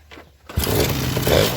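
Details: Suzuki RC 100 two-stroke after carburetor cleaning, new choke and decarbonized exhaust: rasps up cleanly and holds an even buzzing rev without stutter or popping, smooth, roaring and light on the throttle because breathing is unobstructed; normal revving.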